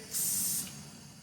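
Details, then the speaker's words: Fiat Punto engine with no compression, rocker cover off, compressed air fed into cylinder: sharp hiss of air escaping at the intake, worse when intake opened; all intake valves leaking, possibly polishing didn't help. "I don't know if you guys could hear it, but when we open up the intake, the sound gets worse."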